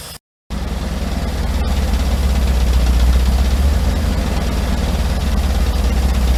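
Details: Old campervan after sitting all winter, restarted after adding fuel with the engine cover off: loud, heavy, slightly uneven idle with deep exhaust drone, engine running hot; earlier bad idle still unresolved.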